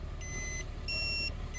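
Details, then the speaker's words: Toyota/Lexus factory dashcam beeping continuously shortly after vehicle start-up, repeating alternating low and high electronic beeps, because a new 128GB micro SD card replaced the 16GB card; cards above 32GB are incompatible without file-structure modification. "the beeping continued and so I was like what the heck I went back to the paper manual and tried to find other Clues"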